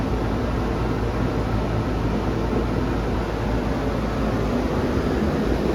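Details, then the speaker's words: Home inspection, outdoor AC condenser running after the system is switched on: a steady, even whoosh of fan and compressor hum with no rattles, squeals or knocks, so the unit runs normally. "make sure it's not making any strange noises yeah that sounds good that's exactly what an ac should sound like"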